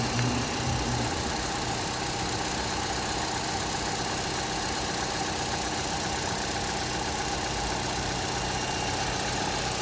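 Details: Opel Astra H 1.4 (66 kW) petrol engine idling with a fast, regular knocking that seems to come from under the engine.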